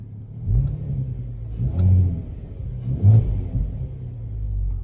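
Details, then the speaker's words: Cold VW/Audi 3.2 V6 (R32 donor, 155k miles) blipped twice from idle: deep, smooth rise and fall with no knocks or rattles; runs and drives properly. "It sounds absolutely amazing. And I think it's possibly the first purchase that I've bought that runs and drives properly."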